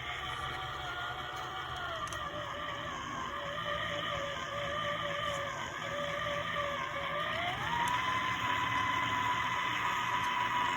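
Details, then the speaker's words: c1964 Stuzzi reel-to-reel tape recorder with non-original replacement drive motor; whirring motor with gritty gear growl stepping up in pitch as speed shifts, after heat-shrink tubing added to the motor gear to quiet it; growl somewhat reduced. "got the heat shrink tubing you can see it in there on the gear and let's see if we can still hear the growl when we run them over"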